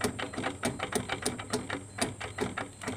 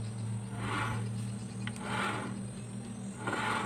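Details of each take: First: Carbureted Honda Beat scooter, about 2010–2012: rough, crunchy clicking and grinding from the CVT case as the rear wheel is turned by hand, from a worn bearing. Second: Carburetted Honda Beat (about 2010-2012) CVT after replacing the two worn bearings, rear wheel turned by hand with clutch held: soft, even whooshing, no crunching; smooth rotation, no bearing noise.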